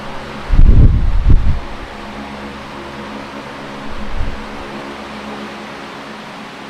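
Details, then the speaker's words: Late-1970s Canadian Super 16-inch fan, before servicing, oscillating: steady low drone with soft blade hum, no grinding or clicking from the oscillation gearbox; fan and oscillation run normally. "that works good I mean I shouldn't be surprised I mean these things just run forever even if you never oil it"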